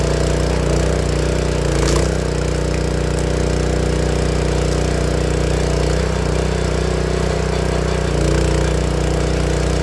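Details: Honda GX160 log splitter engine after replacing the failing spark plug that caused popping when warm: low, steady hum with an even beat and no popping or misses over ten seconds; runs healthy.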